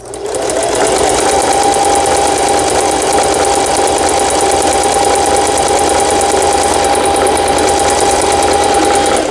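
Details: Singer 4432 sewing machine after repair (was noisy from new with parts knocking, overlock stitch failing): triple zigzag stitch test, fast even needle chatter with steady high motor hum, unbroken; runs cleanly.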